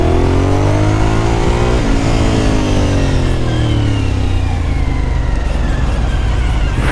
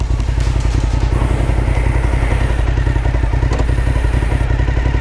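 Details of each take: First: Suzuki SV1000 V-twin riding under hard acceleration: tight mechanical whine rising with revs like a supercharger, the normal gear-driven cam sound. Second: Suzuki SV1000 V-twin on the road: loud, lumpy thudding with uneven pulses below about 2,500 rpm, chuggy you can feel; rider unsure if it's fueling needing a retune or normal V-twin character.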